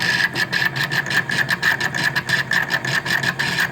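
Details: Daewoo refrigerator with the cover off, dusty evaporator fan motor which owner says must be replaced: rapid rhythmic ticking about six or seven beats a second over a thin high whistle; failing refrigerator fan motor.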